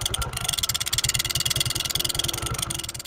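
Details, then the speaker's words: Honda Pridor 100cc motorcycle idling: sharp metallic tick on every firing pulse from inside the engine; loose flywheel magnet rotor rattling, sound smooth after the magnet is opened and fixed. "दोस्तों आज ये देख सकते हैं ये आवाज़ है जो इसके अंदर से ए रही है"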